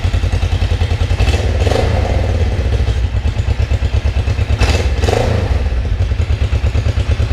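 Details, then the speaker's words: Kawasaki 454 LTD (EN450) twin after rebuild, carbs and fuel petcock cleaned, coolant flushed, radiator fan running: even loping idle with regular exhaust pulse, no chain slap or rattle; runs healthy, ridden around the block fine. "I'm just very happy how it runs and and I wrote it around the block a few times and everything is just looking great"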